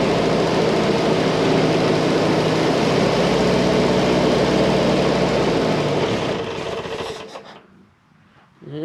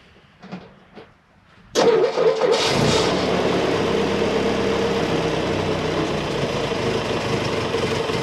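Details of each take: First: M151 petrol engine on about three-quarter choke after carburetor work, solenoid start: idles with a slightly uneven beat, still not quite right though much better, then shuts off. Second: M151 petrol engine after carburetor fix, started with about three-quarter choke: a few clicks, then catches and settles into a steady, even idle, much better.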